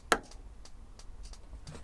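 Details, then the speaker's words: Over-30-year-old three-way motorhome fridge, gas mode: one sharp snap, then light, regular clicks about three a second as the sparker clicks; normal gas ignitor sparking. "So I'm just going to turn that on, start sparking. You can see it lights when it's clicking."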